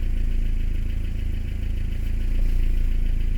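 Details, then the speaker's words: 1990 Toyota Pickup/Hilux, 22RE petrol engine, just reassembled, warming up after vacuum lines were rerouted: low steady idle pulse that sags then swells; some lines had been misrouted, which owner suspects may cause hunting when warm. "hopefully it works we had a couple that were in the wrong spots so maybe that'll cause a hunting problem when it gets warm oh maybe it's starting it's going weird"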